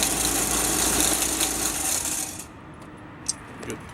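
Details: Isuzu-powered core drill rig diesel on a cold morning: starts very easily, busy even clatter at about three beats per second, then settles quieter; normal cold start and idle.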